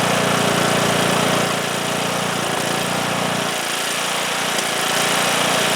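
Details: Cub Cadet lawn tractor, single-cylinder Kohler Courage engine that stalled after 30 seconds, after new fuel lines, fuel filter and fresh gas fixed a tank-side blockage: steady even beat with no surging or dying off; runs clean.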